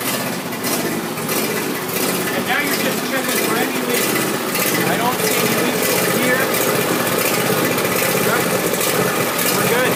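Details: John Deere Z375R ZTrak zero-turn mower started with throttle up right after fuel filter replacement, checking for leaks; engine catches and settles into a steady, even run with no misses or knocks, normal start and idle.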